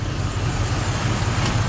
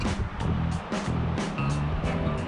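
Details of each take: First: 1972 Cadillac Sedan DeVille after hard driving: smooth, steady low idle rumble with no ticking or tapping; the stuck valve or lifter tick is gone after the Italian tune-up. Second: Free 1972 Cadillac Sedan DeVille big V8, first start with ether, accelerator pump bad: light even ticking three to four times a second over a smooth idle with no misfire; source unconfirmed.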